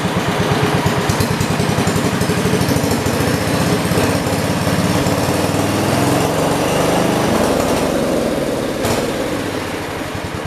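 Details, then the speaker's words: 1971 John Deere 110 garden tractor engine at raised throttle: runs steady and even with no knocks, misses or surging; carb may need slight adjustment after past plug fouling, burns no oil; normal running. "And after we do, well, let me throttle it up so you guys can hear it. How nice it runs."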